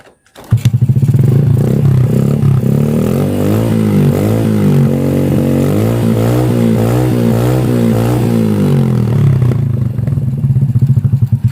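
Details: Motorcycle whose spark plugs had been dying within a week: engine catches after a short crank and settles into a smooth, even beat with light throttle blips; running normal.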